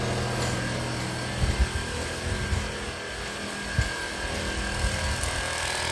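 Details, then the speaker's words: Jebo 9950 AC/DC aquarium aerator bought September 2020, battery replaced once: a steady, coarse low buzz with a few dull handling thumps. The aerator has become noisy; cause not confirmed. "Yang berisik itu adalah yang satunya lagi ."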